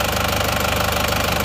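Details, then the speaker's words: Isuzu Panther diesel idling cold with an even, steady clatter and no heavy knock, after swapping imitation seher (pistons/liners) for genuine; thermostat not yet fixed, temporary start; normal idle, much smoother than with the imitation parts. "jadi ternyata suaranya suaranya sudah halus bagus perbedaannya sudah sangat jauh ya antara seer yang asli dan seer yang KW Suaranya sangat jauh berbeda"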